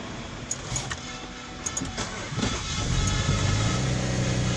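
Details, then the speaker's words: 2012 car that would not start, crank or switch on for six years with a faulty remote key and receiver; key placed in the emergency key location: a few clicks, then the engine catches in about two seconds and settles into a steady idle. Normal start. "Everything is working. Motor is starting."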